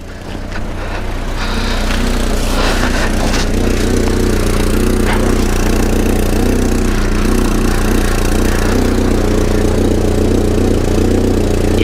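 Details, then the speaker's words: 1994 Volvo 480 2.0-litre petrol on a cold day after fitting a replaced defective downpipe: rough, puffing idle with an exhaust blow around the rear coupler joint, under quite a bit of pressure. "from from round this coupling I think that's where we've got an exhaust leak I mean it is actually coming out you can hear it is creating quite a bit of pressure"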